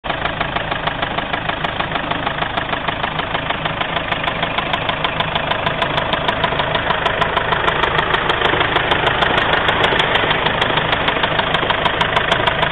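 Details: Mazda 6 engine at steady idle with a fast, very regular knocking rumble, roughly three beats a second, slowly growing louder. Cause unknown.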